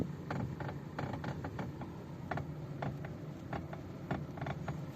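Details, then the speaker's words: 2017 Suzuki Vitara Brezza with electric power steering: irregular sharp clicks and creaky knocks as the wheel turns, steering also hard, noise prevents highway driving; steering rack issue, knock from worn steering rack. "so this is a steering rack issue means the electric motor function inside this car you can hear the noise the steering also is hard"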